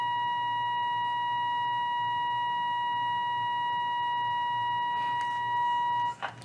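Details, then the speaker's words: Restored 1938 Healing 448E radio, antenna coil core tuned for maximum, volume up. A clean, steady whistle near 1 kHz swells slightly as tuned. The antenna coil is correctly aligned. "پس آن را روی دو می گذارم و هسته را تنظیم می کنیم و فقط حداکثر را می گیریم و همین اینجاست"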